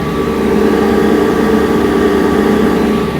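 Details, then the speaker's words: Land Rover Defender cruising on Georgian highway at a comfortable speed below 90 (steering shakes above 90): steady drone with a constant high gearbox/transmission whine on top, exact source unclear; gearbox tunnel unsealed. "transmission noise whatever it is"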